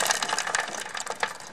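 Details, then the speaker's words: 1981 motorcycle with newer O-ring drive chain, some rust spots: irregular tinny metallic clicking and rattling; chain noisy because stretched, especially at front, about halfway through its useful life. "a little bit noisy because it's a little bit stretched out and particularly at the front end"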